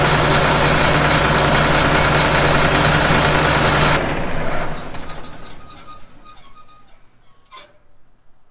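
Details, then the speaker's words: John Deere 9600 combine diesel on a cold day: starts and runs strong with a steady, even drone, no stumbling, after replacing the starter and solenoids and fitting new ground wires. "but let's check this thing out show you guys how it started it works really good now"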